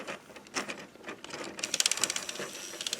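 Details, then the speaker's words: Zoids Wild Hunter Wolf model kit, battery-powered sonic weapon gimmick: fast, light plastic ticking with no load as the gear turns but doesn't drive the rotating weapon part; owner wonders if thick paint is the cause, unconfirmed. "You can hear the gear for this moving, but it's not moving the thing. So I'm wondering if it's just the thick paint or what."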